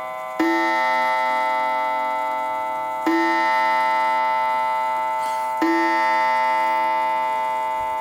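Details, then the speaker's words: Mid-century German Urgos mantle clock, about 1955, attic-stored and dusty, checked before repair with its coiled gong at 6:00: clear, evenly spaced gong strikes about every two and a half seconds, each ringing long and clean; hour strike works properly. "all right that is 6:00 well was 6:00 and as you can see on the front it's now 5 6 so that's a plus the strike seems to be working initially"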